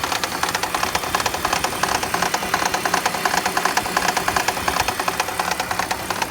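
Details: BMW E46 petrol engine idling with loud, sharp, regular knocking, several per second; speeds up then disappears on acceleration, quieter when steering turned left or right. Owner tightened spark plugs suspecting them; cause unknown.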